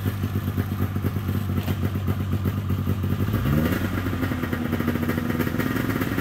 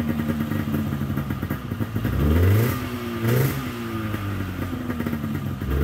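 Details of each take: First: 1997 Polaris XCR 440 twin liquid-cooled two-stroke snowmobile, first start, running premix: crackly idle picks up cleanly into brief rev and settles evenly; carbs may not need cleaning. Normal running. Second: 1997 Polaris XCR 440 twin liquid-cooled two-stroke snowmobile, pre-mix plus oil injection, just revived: fast idle about 1400 rpm with throttle blips, smoky, revs rise lazily; a little boggy, owner may end up pulling the carbs apart.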